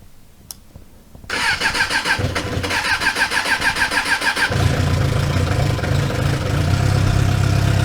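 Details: Suzuki motorcycle after winter storage, first start attempted without choke: starter cranks in a quick even chug, about three beats a second, before engine finally catches and settles into a rough, uneven idle; hard cold start.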